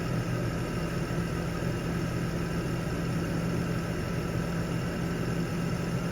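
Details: BMW E39 petrol six after replacing a clogged catalytic converter/header that caused cylinder misfire, lean codes and kick-down problems: even, steady hum with no stumble. Normal running after repair.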